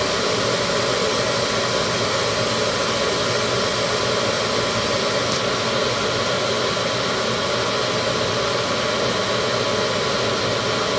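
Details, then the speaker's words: Midco gas burner being hot-wired on a Slant Fin Intrepid steam boiler, firing after 30-second pre-purge: steady, heavy roar with no pulsing or rumble yet; owner thinks it is way over-fired and expects it to start bouncing soon. "yeah i think that's over fire i think we'll start bouncing up and down pretty soon"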